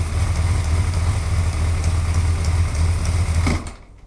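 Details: Suzuki GSXR 1100 motorcycle at steady idle with light, quick ticking on top until the engine is shut off; engine ticking, source unclear.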